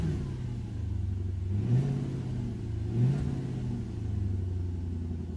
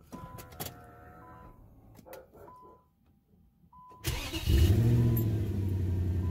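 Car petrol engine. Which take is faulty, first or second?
second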